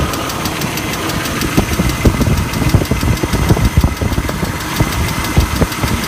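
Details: BMW E39 idling: a steady, fairly quick ticking over the low engine sound; the owner noticed it that day and does not know the cause.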